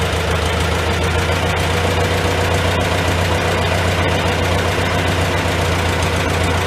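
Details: Old Farmall tractor started on choke, in neutral, idling inside a tight, smoky shed: steady, loping beat at about four firing pulses a second with no knocks; normal idle, running not too bad.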